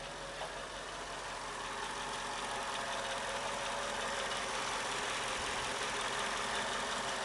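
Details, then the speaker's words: 2005 Mercedes W211 E55 AMG supercharged at idle; fairly even light tapping about four per second over engine hiss, clearer with slight throttle, heard near the left wheel, alongside a separate whine; cause unknown. Knocking at idle. "second one is t t t t tck sound it's better here when I push a slight accelerator"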